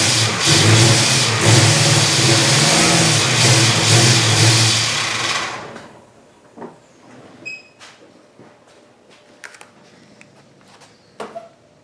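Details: 1974 Dodge Charger V8 after sitting two years, missing carburetor base gasket: catches and surges unevenly for about five seconds, then dies, running lean from the vacuum leak under the carburetor; brake booster port capped.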